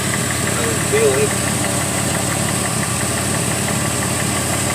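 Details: Car with stored codes including MAP sensor circuit high: uneven, lumpy idle with a loose irregular beat and no steady rhythm; running rough, cause not pinned down.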